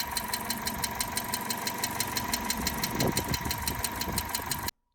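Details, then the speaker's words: Cheap long-stored budget race car at warm idle with the thermostat open and not overheating: sharp, regular light ticking about three a second. It is burning oil, and the owner suspects valvetrain noise or bad oil; the cause is unconfirmed. "so I've had it idling now uh we haven't got it up to Temp oh sorry it is up to Temp because the thermostat's open but there's no well we're not overheating or anything but there still is that tap and what we've discovered is it is burning oil so"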